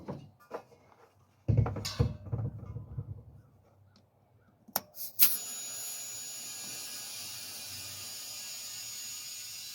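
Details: '71 Plymouth, mismatched spare tire: after handling clatter, a steady high hiss holds without changing as air escapes at the tire; air leak, cause not confirmed.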